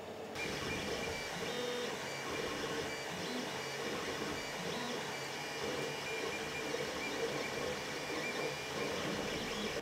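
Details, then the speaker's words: Creality CR-10 3D printer printing after Noctua hotend fan swap and stepper vibration dampeners: soft low whirring, faint Z-axis motor tones, control box and part cooling fan hiss, no harsh stepper buzz; nearly silent. "all you can hear now is the c-axis nothing else and of course the fans from the control box and this part cooling fan those he can hear as well"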